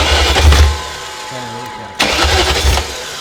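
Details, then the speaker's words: BMW E38 with a freshly installed replacement engine, now showing oil pressure and fuel, cranks and catches with a rough burst, then dies. It fires, so the immobilizer (EWS) is not the issue. The cycling jump pack is suspected of not holding enough power. "But we heard it fire and everything, so nothing EWS."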